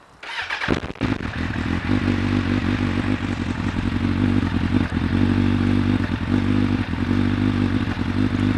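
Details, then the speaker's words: Suzuki Bandit 1200 project bike, cold engine on choke with clutch pulled in: a couple of quick cranks, then it catches and runs lumpy and unsteady, coughing and spluttering; hard cold start. "struggling a little bit but it's cold I struggle when it's cold I also struggle when it's hot"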